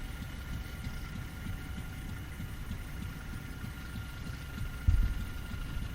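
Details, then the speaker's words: Fairbanks 208 single-cylinder oil-well engine, just started by spinning the flywheel after a pump change, likely being fed gasoline since well gas is weak; slow, steady low thumping with even beats, no misses, running okay. "Probably feeding it gasoline to get it going. Engine sounds like it's running okay."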